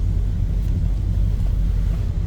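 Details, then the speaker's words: 1983 Chevrolet K10 with 454 V8, cold start: deep, low, even rumble at idle, steady with no misses, ticks or knocks; smooth runner. "again, 454 under the hood now. Smooth runner."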